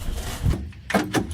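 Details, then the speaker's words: Old Oldsmobile engine, long sitting, oil changed, attempting to start: a few sharp solenoid clunks with no cranking; starter engages but engine is likely seized, confirmed locked when turned with a socket. "so it will you hear the solenoid kick but it won't turn over cuz our engine is likely locked up"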